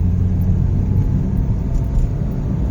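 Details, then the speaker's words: Hyundai Picanto automatic on road test after throttle body cleaning, previously lacked pull and misfired, especially uphill; deep steady engine rumble pulling evenly under load, no stumble or misfire, normal acceleration. "Sumusulpot na. Nawala yung ano."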